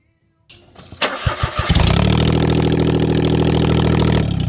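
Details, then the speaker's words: Smart Car engine with homemade custom exhaust, three tubes fitted, no muffler yet: cranks, catches and settles into loud, raw, steady low drone from open pipes; sounds better than before, normal open exhaust note. "that sounds a little bit better"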